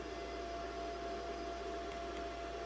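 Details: 2014 Ford Focus 2.0 L direct-injected four-cylinder, key on, engine off, battery charger connected: steady hiss, thin whine and sharp crackles from the radio; static bursts from a defective radio head unit (audio control module).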